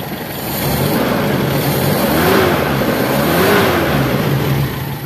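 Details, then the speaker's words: Toyota 4K engine revving after timing chain replacement: revs up and settles smoothly, steady even note with no rattle or slap from the front; the former timing chain noise is gone, engine runs well. "na mga kabumrom. Wala na yung ingay yung timing chill."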